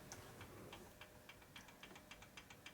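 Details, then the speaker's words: 1965 Harley panhead 74ci lower-end rebuild, cam rocked back and forth by hand: light metallic ticks, about four a second; backlash in the cam gear teeth that may cause valve noise, curable with a bigger cam or drive gear. "hear that noise mhm it's called backlash and teeth okay so that might make a little valve noise"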